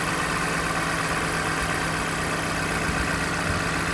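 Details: 2020 Toyota Camry four-cylinder, 50,000 miles, with a cylinder 4 misfire only on cold first start: a steady, even idle hum with no stumbles or skips once settled after the cold-start shake; normal idle.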